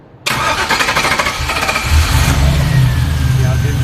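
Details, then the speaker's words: LS-swapped International Scout with aftermarket external fuel pump: after waiting, starter churns well over a second before slowly catching; extended-crank hard start, fuel pressure drops after prime, owner suspects a bad or missing check valve. "and if you wait and then try to start it the longer you wait the worse it gets to start watch"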